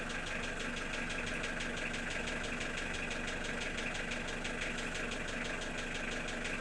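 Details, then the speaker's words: Unexplained engine knock at idle: sharp metallic tapping about three per second over smooth running; sounds like a connecting-rod knock, but the owner says the rods were opened and checked, so the source is unknown. "Стук похож на шатунный, но это не шатунный нифига, потому что шатуны я себе скрывал, смотрел."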